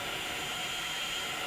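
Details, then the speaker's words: Roberts R600 table radio on first power-up after repairs (309s fitted), run on 9 V into a bench speaker: steady hiss with stations drifting in as the dial moves. It works with good volume and tunes normally. "But that sounds like it is working. It's definitely tuning stuff."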